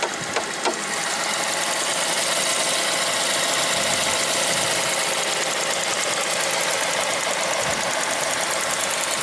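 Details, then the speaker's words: BMW 3 Series 320i M Sport 2.0 two-door with a new engine fitted, idling with the bonnet open: an even idle with a light, quick valvetrain tick and no knocks or hunting. Normal idle. "engine ticking over very nicely."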